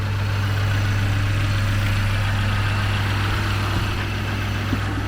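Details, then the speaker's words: Free car started by hot-wiring: steady, even low-rumble idle with no knocks or misses; small exhaust leak noted underneath. "But I do want to show you how nice it starts. So here you go. There you go. And there's our ignition. I definitely got to put a start button on this as soon as possible. And now you can see how nice it runs. Lovely."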